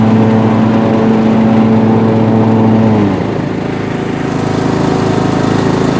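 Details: Revived Bolens M762F 10 hp lawn tractor on its test drive. Steady, even single-cylinder drone that dips slightly as load comes on, with no knocks or misses: the engine runs healthy under load.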